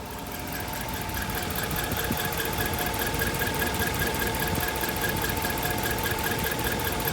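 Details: 2010 Dodge Ram 1500 5.7 V8 warm at idle, fast regular high-pitched chirp/squeak, mainly passenger side behind the engine; persists with belt off, only once warm; lifters recently replaced, running full synthetic oil; cause unknown.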